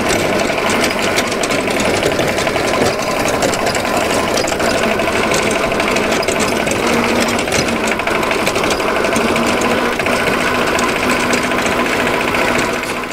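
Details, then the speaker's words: Dennis Premier mower driven under load: a loud, steady howl from the gearbox over the drive noise. It comes from damaged straight-cut gear teeth whose burrs were ground off. "a horrendous howling coming from the gearbox and that's because of the damage to the Gear teeth"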